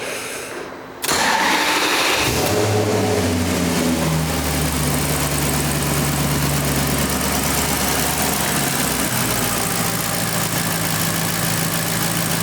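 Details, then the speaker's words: 2009 Maserati Quattroporte V8 after fitting eight new coil packs and eight spark plugs for a misfire: cranks, catches at once and settles into a steady, smoother idle; scan shows no misfires. "I don't know I just don't know that sounds smoother"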